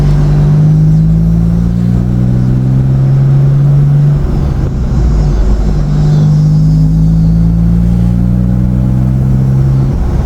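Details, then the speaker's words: 2007 Nissan Xterra after fan clutch replacement: a heavy, deep roar like an 18-wheeler that swells and eases with engine speed. The new fan clutch did not cure it and the source is still unknown. "Alright guys, so I changed the fan clutch and the car still sounds like an 18-wheeler."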